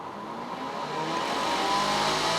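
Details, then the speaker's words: 2022 Puma 25BHFQ travel trailer: the microwave's range hood vent fan gives a soft, steady airy whoosh that builds slightly and holds even, with one brief click. The outside baffle should be open when it runs. Fan running normally. "microwave works like any other microwave this is your fan that I told you about remember the baffle on the outside"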